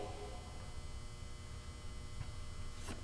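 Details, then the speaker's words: Quiet constant low mains hum from a barn-found instrument; buzzing, unclear whether the power supply sounds healthy, caps suspected, most likely the power transformer. "weird noises yeah I hear buzzing yeah does it sound like a healthy power supply doesn't know"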